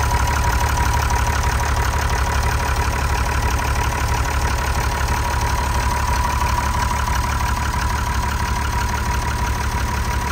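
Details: TK Bedford crane truck with a replacement Perkins 6354 six-cylinder diesel, unused 20+ years, running after fuel-line air bleeding: even idle clatter of about three beats a second, no misses or stumbles, a normal healthy idle "like a Swiss watch".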